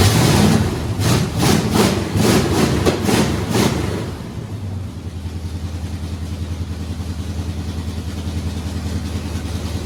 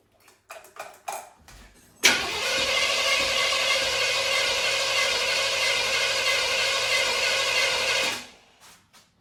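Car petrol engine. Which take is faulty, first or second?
second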